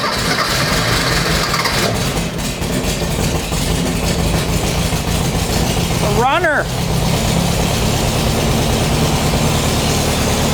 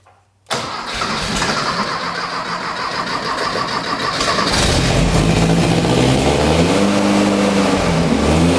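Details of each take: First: Rebuilt air-cooled 1600cc dual-port VW flat-four in a dune buggy on a shortened 1973 Beetle chassis, first start after basic wiring: catches and keeps running with steady chuffing beat, no knocks; runs normally. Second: Rebuilt 1600cc dual-port VW engine in a custom dune buggy on a shortened 1973 Beetle chassis, first start: brief cranking, rough catch, then uneven revs that settle as it clears a flood; a runner leaking, it runs but idle needs turning up.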